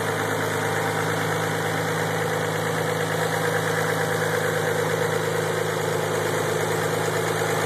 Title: 3 no noise after start up idle